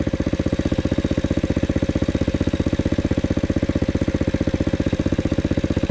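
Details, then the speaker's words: Loncin 110/125 single-cylinder, about 6 hp, pulling up a slight hill with little throttle: even, regular thump holding its beat under load; healthy engine. "Daje radę, no. Jak na Lącina 6 koni, to wam powiem, nieźle."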